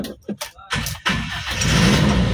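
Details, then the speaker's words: Toyota Kijang Super engine just rebuilt after overhaul, fresh oil, first start: cranks briefly, catches straight away and settles into a steady, even idle with no stumble or miss, no longer limping like before; normal start. "Langsung hidup ya teman-teman dan sudah nggak pincang kayak kemarin"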